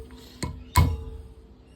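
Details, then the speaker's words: Ford Cleveland closed-chamber 2V head, corroded valves and springs: timber taps on retainers give sharp metallic taps, each followed by a short clear ring near one pitch; springs freed from corrosion seizure and vibrating freely. "The initial tap, it's like solid, just, you know, fused together from the corrosion. Then once you give it a tap, there we go, it just springs unstuck."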